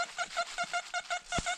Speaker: that's our overload tone and it uh it just sounds just crazy you back it out it kind of has a wiy wiy wiy sound on there as as you go in it overloads the detector